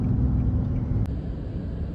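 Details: Infiniti G37 VQ engine with a flashing check engine light and code P0306 (cylinder 6 misfire): deep, lumpy idle with uneven beats and brief dips.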